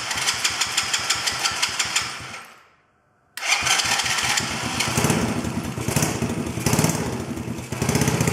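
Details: Chinese quad bike (black quad) starting with choke off, engine moving on loose mounts, battery going flat; owner suspects idle screw needs adjusting. Catches with quick even putter, dies, refires rough and uneven with pops, won't idle: hard starting and stalling.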